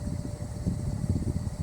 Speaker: This is a really nice motor whine on high speed. I don't know if you hear it.